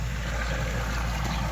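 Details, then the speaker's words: Backyard pond at spring start-up: steady rushing waterfall with low uneven gurgle underneath; waterfall choking because the filter pad is clogged with debris (helicopter seeds, leaves); fix is changing and rinsing the filter pad often. "can hear it gurgling. So that's the main thing in the spring. It's just changing your filter pad and rinsing it off very often."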